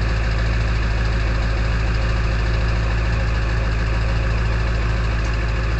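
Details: Early 1999 Ford F-250 diesel cold start at 34°F, idling with the EBPV (exhaust back pressure valve) closed: steady, even low idle with light rhythmic clatter and a loud whistling once the valve closes; normal cold idle.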